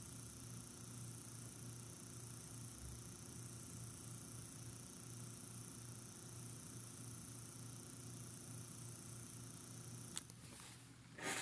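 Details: New MSI P65 Creator laptop, 10 days old, CPU fan, heard with ear on the fan: faint rattle and uneven whirring, hum swelling and dropping; other fans do not rattle.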